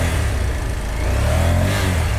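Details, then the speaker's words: Japanese import carbureted motorcycle twin from a shipping container, started after sitting with fuel drained but oil kept in crankcase: low, lumpy rev rising slowly and unevenly; rough running, sounds unhealthy, cause unconfirmed. "it sounds cool but it doesn't sound healthy a little too"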